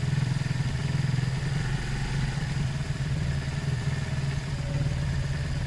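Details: Zontes 125 motorcycle after fuel tank flush of rust, twigs and water, warming on half choke: steady low putter with even firing pulses and no stumbling or hunting; idles smoothly.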